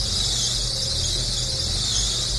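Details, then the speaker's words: Carburetor engine (Holley carb, Shadow/Spirit/Dakota) struggling to start and nearly stalling, throttle held partly open; loud continuous high-pitched squeal of the drive belts over a low engine rumble; belt squeal. "De hecho, ahí se oye el rechinido de las bandas."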